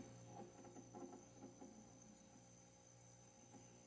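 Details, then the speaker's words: Haier HRC2731ACW mini refrigerator just after start-up: a quiet, steady compressor hum with faint soft gurgles of refrigerant (freon) flowing through. Normal refrigerant flow. "You can hear the freon going through. Listen, you hear that? It's kind of cool, huh?"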